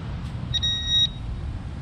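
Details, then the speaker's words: Minelab Equinox 800 at an old school site: short clean high tone about half a second over hiss, loops high instead of negative; false high signal, turned out to be a piece of iron or nail plus a second target. "It's going back to, instead of going to negative, wants to go like a high tone stuff."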